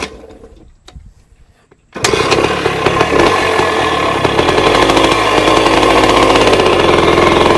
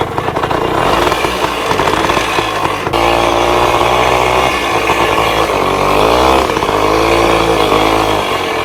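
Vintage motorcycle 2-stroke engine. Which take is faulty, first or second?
first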